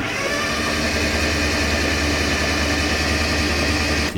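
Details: Flood-submerged Suzuki Cappuccino, 3-cylinder turbo kei engine, spark plugs out and fuel pump disconnected, after starter solenoid check: even, quick starter churn with no compression pulses, with oil pressure showing; normal cranking without compression.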